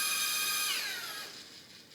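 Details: RC helicopter spinning down: thin, piercing whine dropping in pitch and fading. Source unidentified despite oiling main rotor shaft, motor, main gear, tail drive gear and tail pitch bearings.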